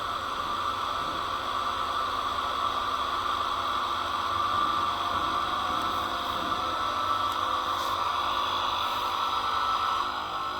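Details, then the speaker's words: Wabco HPB hydraulic brake unit, both pump motors repaired and running to 2,000 psi: two electric pumps give an even, steady hum with clear high tone, no knocks or grinding; repair worked, normal pump motor operation. "There we go. Both of them are at 2,000 psi now. The repair worked, and we should have brakes, and everything should be good."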